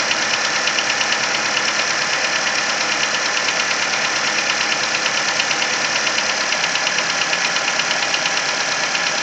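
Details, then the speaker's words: Cold idle on a Nissan Versa: crisp, even tapping about three per second over a light idle hum, louder as revs drop, heard from the cylinder 3 area; it lasts the first 10-15 minutes of driving until the engine warms up. "As the revs come down, you can hear the tap become more prominent. You can hear it plain as day now."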